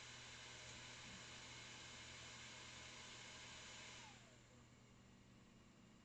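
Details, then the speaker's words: 2006 Mac Pro saved from recycling, side panel off, first power-on: a strong, steady fan rush at switch-on that eases after about four seconds as the hard drives spin up; loud but normal startup, and it outputs video. "I hear the hard drives spinning up and it certainly was very loud and it's outputting video"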